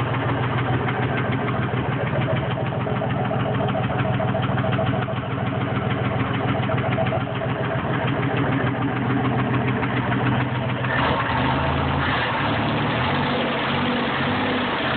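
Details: Idling car engine with a quick, somewhat uneven tapping over the steady run; engine knock or tick at idle, cause unconfirmed (rod knock, stuck valve or exhaust leak suspected).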